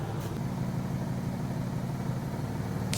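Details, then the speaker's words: Nissan G35 at idle after a startup misfire: plugs checked and a hand-tight plug tightened, possibly another vacuum leak found, codes cleared. Smooth, even purring idle with no miss or knock; a slight exhaust leak is audible underneath. "thing is purring like it should"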